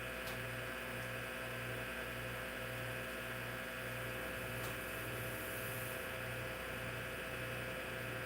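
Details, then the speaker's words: Hard drive in an IBM PC/AT damaged in shipping: a steady high hum with faint regular pulsing over a constant spin. The spindle motor bearings are loud enough to bury the head seeks. "Can't hear the head movements because the platters are... Actually, not the platters, but the motor and the bearings sound so loud on this."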